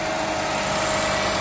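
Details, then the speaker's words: 2008 Honda Civic Hybrid, 185,000 miles, idling right after a new Dayco serpentine belt was fitted, auto tensioner position unchanged: a smooth, even idle hum with no squeal, chirp or flapping, and it sounds healthy. "Okay. Let's start this thing up. Yay, that sounds good. That sounds good."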